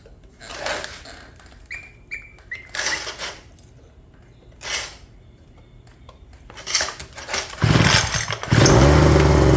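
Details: Homelite leaf blower after tune-up of carb, spark plug and fuel filter: a few sputtering pull-start tries, then the two-stroke catches and holds a steady, even high rev, running clean.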